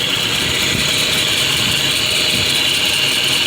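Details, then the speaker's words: 1987 Nissan D21 V6 that was overheating after a thermostat swap: engine runs steadily under an even hiss, with no grinding, squeal or wobble; the water pump spins fine and sounds normal, and the cause was an air pocket in the coolant. "but you know the water pump has a nice spin to it it's not wobbling that noise seems you know reasonable"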